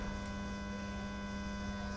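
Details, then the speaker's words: Lepy LP-2020 USB audio amplifier, volume at 0 with audio input removed: constant hiss and steady low mains hum from the speaker; faulty amplifier as delivered. "Hissing sound after also of coming. Volume level is 0, but is hissing sound is still coming."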